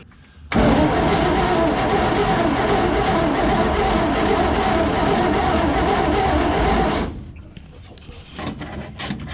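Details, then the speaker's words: 1954 Chevy COE cab-over truck, custom shortened, barn find, cranking right after a new fuel pump install: the starter turns the engine over at a steady rhythm for about six seconds without catching. Cranks but won't start; owner suspects it isn't getting fuel. "i don't think it's getting any fuel"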